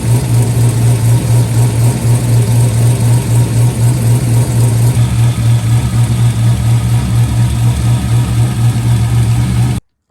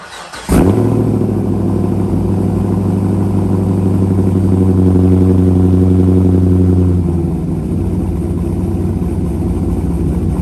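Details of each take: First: C5 Corvette V8 with a freshly installed BTR cam, just past break-in: loud lumpy idle with a fast steady tick over the exhaust pulses; owner suspects a header exhaust leak from headers disturbed during the cam install. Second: C5 Corvette V8 with newly installed BTR cam, just past break-in and fresh oil change, not yet tuned: sharp start, brief rev, then deep choppy loping idle, even and steady; running normally.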